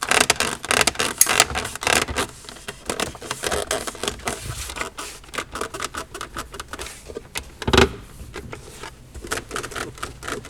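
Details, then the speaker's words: New Audi Q5 cabin: dry creaks and squeaks in quick bursts as the centre console trim is pressed by hand, also occurring while driving; before sound-deadening work. "скрипун вот у нас A Audi Q5 новенькая уже начали немножко разбирать тут товарищ очень жалуются на скрипы"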